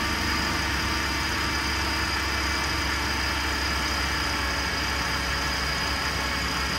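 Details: GM 3.6L V6, first start after timing chain replacement and reassembly: a steady, even hum with no knocks or ticks at a smooth, healthy idle. Initial noise on startup came from oil taking a while to reach the top.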